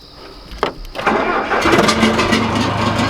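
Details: John Deere 410C backhoe diesel after replacing old batteries and heating the glow plugs: starter whirs briefly, engine catches at once and settles into a steady, even idle clatter; normal start and idle.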